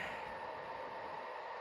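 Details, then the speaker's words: Secondhand PS4 Pro working again after a system software reinstall: a steady loud airy fan rush with no rhythm or knock; owner still thinks gunk inside causes the loud fan. "I still think that this loud fan noise is caused by some crap some gunk in it which I really have to look into"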